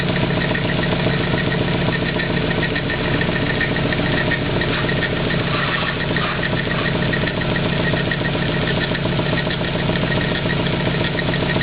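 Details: 240 just after an engine swap, idling with a light, uneven chatter and a faint bell-like ringing tick riding over it, likened to a playing card in bicycle spokes; source unclear.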